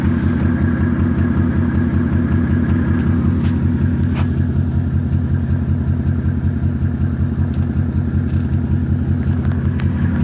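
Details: Mercedes E300 OM606 diesel at idle: heavy uneven lumpy pulse with sharp random knocks; rough idle blamed mainly on bad motor mounts due for replacement, random knock possibly a leaky injector.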